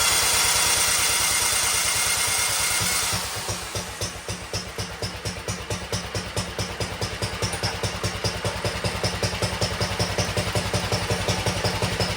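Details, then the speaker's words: 1960 Wheel Horse 400 Suburban, four-horsepower single, choked start in neutral: rough start then even thumping about two to three beats a second, smokes a little; steady healthy idle. "There you go. Smokes a little bit, but I think that's all right."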